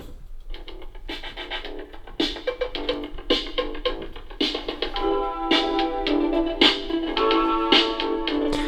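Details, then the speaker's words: Turntable playing instrumental music cleanly with no clicks or pops after repair; the earlier popping and clicking fault was caused by a tiny capacitor. "So there we have it, and you can hear that there's no clicking. So all of that was because of this tiny little capacitor."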